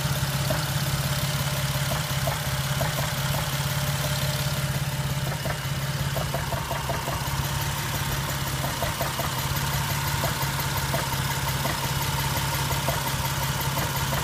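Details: Jeep with rough loud uneven idle and a rapid irregular tapping knock over the engine drone, no warning lights; source unknown.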